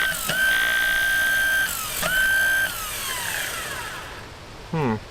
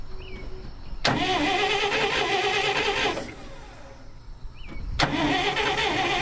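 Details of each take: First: 1959 Dodge D-300 farm truck, newly rebuilt starter bench-tested on jumper cables: high steady whine keeps spinning with no cutoff, then coasts down; the new solenoid's internals were bad and the old solenoid's guts were swapped in as the fix. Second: 1959 Dodge D-300 truck, rebuilt starter installed after moving solenoid: two clean cranking bursts of about two seconds each, engaging crisply and dropping out cleanly; starter working properly.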